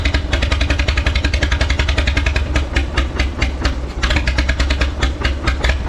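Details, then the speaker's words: Minneapolis Moline 5 Star antique tractor, rusty spark plugs: uneven loping idle with stumbling, irregular missed firing pulses; sounds like it's missing, at least two cylinders later found low on compression. "You know, in the previous videos you've heard it running, but it sounds like it's missing."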